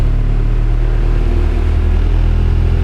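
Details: Honda Civic EF first start after over a year stored, out of gear, oil at mark, fuel pump heard priming: steady deep even rumble with no knocks, misses or rattles; idles smoothly.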